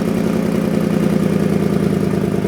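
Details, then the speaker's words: 2008 Ford Expedition, 147,000 miles, idling after new spark plugs; quick, even ticking over the engine note from the passenger exhaust manifold, where a distorted flange left the exhaust pipe no longer sealing: exhaust manifold leak. "I removed the inner fender wall on the passenger side to get to the exhaust manifold and this was our problem the exhaust pipe was no longer sealing with the manifold"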